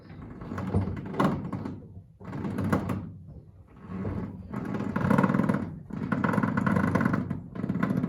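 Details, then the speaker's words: Triumph TR7, wheels turned lock to lock: rough groaning swells with dull thunks; horrible noise from worn steering rack needing work. "before we put this car on the ground I want to turn the wheels just so you can hear the horrible noise that the steering rack"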